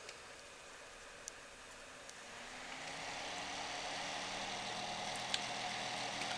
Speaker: вот начинается шум который раздражает это шумит блок питания иногда бывает что шумит не блок питания а кулер на процессоре